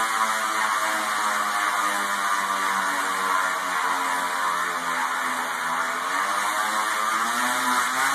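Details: Telescope stand drive: steady whirring drone with a rough, wavering whine that rises and falls as it turns, a noisy bearing.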